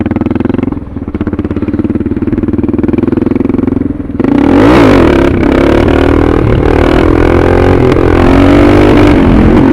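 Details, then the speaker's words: Suzuki DR650 with a Procycle jet kit (150 main jet), DGV2 slip-on, stock header and unmodified airbox, doing clutch-up pulls. The single pulls, then sags and stumbles before climbing again: a throttle hesitation or cut-out. It is milder than at first install, when the owner thinks the needle was wrong. "Like I said, there's a little bit of hesitation, that little stutter, but it's not like it was when I first installed it."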